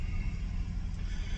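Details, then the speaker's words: 2004 Toyota Avalon after long timing and O2 sensor work, on the third start-up before a test drive: a deep, uneven idle rumble with irregular pulses, rougher than the owner remembers. Cause unclear. "This is like the third time I've started this thing up, and I don't remember it running quite this rough."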